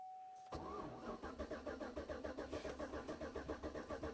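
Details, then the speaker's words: 2012 GMC Yukon that sat a year on old fuel, after fitting a 25 A fuse: starter cranks steadily at about 3.5 beats a second but never fires; no fuel pump running, and the fuel pump relay turns out to be missing. "No fuel pump. Where's the fuel pump relay?"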